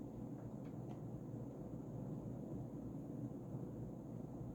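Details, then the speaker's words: Early-2000s Casablanca Panama II 50" ceiling fan, XLP stack motor on Low Ceiling Adaptor, running on high: steady airflow whoosh, faint low motor hum, minimal wobble, no ticking; airflow better than expected; normal running. "but the airflow is really good it's actually a lot better than I would have thought"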